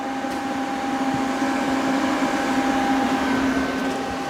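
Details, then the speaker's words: Suzuki GS500 engine in a dune buggy, started after carburetor work. An intermittent hiss like air rushing through a small hole drops the RPM sharply and sometimes kills the engine. "it sounded like air rushing through a small hole really fast every now and again and every time it did it that RPMs of the engine went way down sometimes killing the engine"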